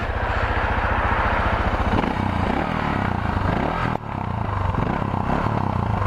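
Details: Suzuki DR650 single with new 24F0A exhaust, Procycle headpipe, Procycle jet kit and airbox mods: deep, evenly spaced thumps with a steady exhaust note, then a throttle blip; sounds healthy, normal running.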